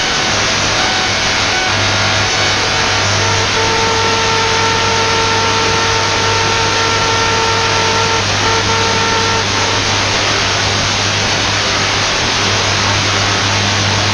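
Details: Radio receiver noise from about 15 MHz up to 21 MHz: steady hiss with a low hum and thin constant high tones that start and stop, then buzzing; radio interference whine (QRM).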